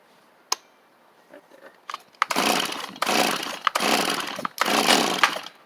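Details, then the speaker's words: Free Stihl chainsaw: quiet pulls, then three rasping bursts that catch and die; it nearly runs but won't stay running, owner suspects it is flooded; it later starts with half choke and throttle. "not seem to want to go y'all heard it hit that one time and I'm wondering if the die wonder if it's just flooded"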